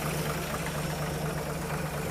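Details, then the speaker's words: 1950 Chevy truck stovebolt six warming up after new gaskets, plugs and valve adjustment: smooth, even idle with light valve-train patter over it, nothing harsh; valve train audible but not necessarily bad, healthy. "I can hear the valve train working, which isn't necessarily a bad thing."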